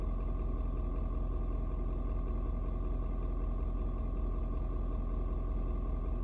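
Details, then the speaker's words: Ford Super Duty 6.7 diesel, cold start at 56°F: deep, steady low rumble with even beat, nothing rattling or ticking over it, should mellow out once warm; normal cold idle. "it may take a little longer today because like i said it's a little bit colder out today but it usually doesn't matter maybe five but 25 and like 10 minutes yeah usually mellow on out"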